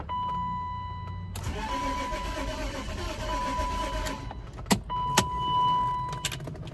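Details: BMW E34 Touring wagon parked about 7 years: starter churns steadily about three seconds over a warning chime, never catches; crank no start, owner suspects the fuel pump under the middle seat, not confirmed.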